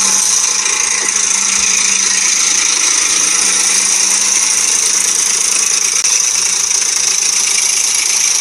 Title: What a Ford Timing Chain Rattle/ Tapping Noise Sounds like- Explorer, 4.0 V6, loose tensioner, guide